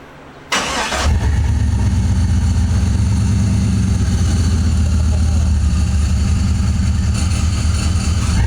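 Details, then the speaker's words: LS-swapped Jeep, start after fitting custom exhaust: engine catches and idles with a fast, uneven chatter from the belt drive; owner unsure if steering pump or idler; alternator charging at 14 volts; accessory drive chatter. "Getting some chattering. I don't know if that's the steering pump or the idler."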